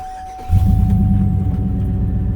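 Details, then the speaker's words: 2003–09 Chevy Trailblazer 5.3 L V8, first start after replacing starter that had been cranking weakly with a whine; even smooth low cranking rumble with steady pulses and no whine, normal starter cranking. "how smooth that sounded? That's it. That's a very smooth cranking. None of that whining."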